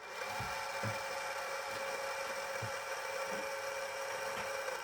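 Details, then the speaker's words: Celestron NexStar 4SE telescope mount motor: steady high motor whine with a dry rasping edge and faint regular ticks about every 0.9 seconds; likely dry motor shaft bushing. "So, you know, it is a bit noisy. Um, it's probably also a bit dry as you can hear."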